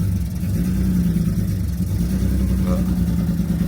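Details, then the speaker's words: BMW E46 M3, started after sitting a long time: deep, lumpy idle with uneven pulse and heavy low rumble, running on five cylinders with a misfire on number five and a major exhaust leak underneath; misfire. "currently running on five. So, I've got a misfire and it is in number five."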